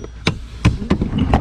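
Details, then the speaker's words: 2014-2015 Nissan Rogue with the blower turned up but not working: an extension rod knocks on the back of the blower motor, four hollow knocks, then a faint steady whir starts; a stuck blower motor that runs only when tapped. "Oh, there it goes. I barely tapped it. Barely tapped it. I already heard it. That's how I know it's a blower."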